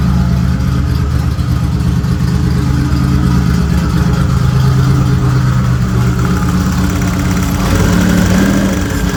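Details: Turbo Nissan Z31, earlier clip before the new exhaust: steady, deep, throaty idle with a slight blip partway, no knocks or misses. Healthy normal idle.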